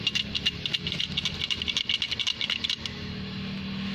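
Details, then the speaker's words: Truck transmission at idle, clutch pedal released (noise disappears when clutch pressed): fast tinny chattering rattle like krek-krek for about three seconds, then quiet smooth hum; loose damper spring in the clutch disc. "Ini sangat berpengaruh sekali pada bunyi saat indel. Jadi dia bunyi krek krek krek krek krek krek krek gitu."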